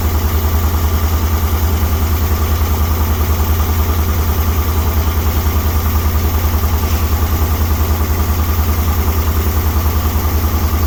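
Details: 1961 Dodge C800 truck's engine revived after years sitting, running on gas mixed with ATF and Marvel Mystery Oil, smoking and using fuel fast: steady low idle near two beats per second with a faint hiss, from a big air leak still to be fixed.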